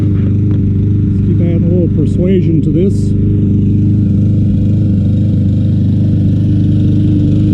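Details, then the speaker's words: Troy-Bilt TB200 self-propelled mower, Briggs & Stratton 625EX 150cc, long stored; just revived after tapping the carburetor, old gas, float possibly stuck. Low single-cylinder putter with an uneven, wandering beat, about two firings a second; rough running, cause unconfirmed. "hey the troy build is back to life here not running the best in the world"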